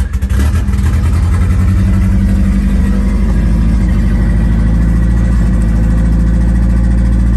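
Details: 1991 Nissan Hardbody just started after the 240SX turbo kit hot side was installed, with downpipe, O2/wideband and plug wires refitted. Uneven, lumpy idle that stumbles and hunts; runs rough, cause not yet found.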